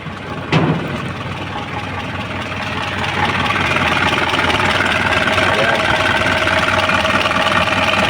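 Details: Isuzu 4HL diesel, after a no-start traced to the injector: cranks briefly, fires at once and settles into a steady, even clatter that firms up after a few seconds. Runs normally.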